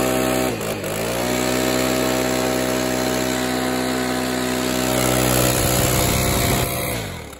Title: Stihl BR600 idle and rev after cable and carburetor adjustment. Runs and idles much better/smoother